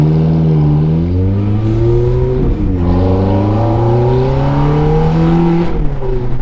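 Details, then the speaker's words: Ferrari F430 F1 after setting the PIS (point of initial slip) clutch value to 4.90. Revs climb smoothly from a stop and pull cleanly with no slip; upshift and downshifts feel much better. Normal clutch engagement. "4.90 now ready gas it's not too bad I'm not in love with it um let's see how it does on a shift much better and then let's see the down shifts oh those feel good"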